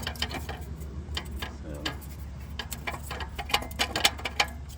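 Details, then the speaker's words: Acura MDX rusted, loose exhaust heat shield: irregular tinny clanks and ticks over a low steady hum; to be secured with clamps. "This heat shield is making a noise because it's rusted."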